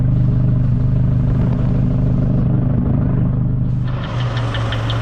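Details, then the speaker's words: 2004 PT Cruiser 2.4L idling: a steady, deep lower-end knock about three or four a second, rod knock judged not good. "The engine is knocking. You hear that lower end knock? That's not good."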